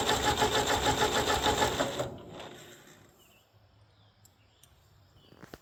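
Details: 1957 Ford 640 tractor, sat years, after carburetor cleaning, new battery, new plug wires and cleaned points: quick even chugging about three beats a second for two seconds then fades, turns over but won't keep running; float still sticky.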